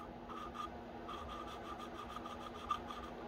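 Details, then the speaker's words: Honda GX160R head rebuild, lapping intake and exhaust valves with grinding compound and a suction-cup tool twisted back and forth; gritty rasping strokes, about two a second, seat not yet mated, lapped until the noise becomes uniform and smooth. "I'm just twisting until that grinding noise is just uniform and smooth it just sounds like two surfaces rubbing together not grinding"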